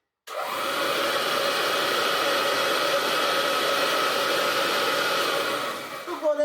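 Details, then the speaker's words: 1950s–60s Hoover Junior 375 upright vacuum after belt refitted: constant high motor whine at steady pitch, no rattle or grinding, then spinning down; normal running with brush roll engaged. "We have our brush roll spinning reliably. That means that we can actually do some vacuuming with it."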